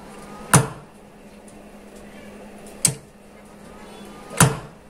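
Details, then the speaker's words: Audio amplifier with both supply capacitors disconnected: three sharp, deep thumps through the speaker at switch-on and switch-off; fitting the capacitors across the transformer removes the thump. "Jadi di saat menghidupkan dan mematikan itu menimbulkan suara jeduk seperti ini."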